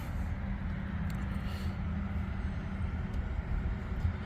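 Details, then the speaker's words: Polaris Sportsman 850/1000 High Lifter XP, rebuilt engine used almost two months, RVS stage 3 tune with MBRP exhaust: deep, steady low rumble, even beat, no knocks or rattles; pretty loud exhaust but normal running. "MBRP exhaust. Okay. MBRP exhaust. It's pretty loud. It's not bad, you know."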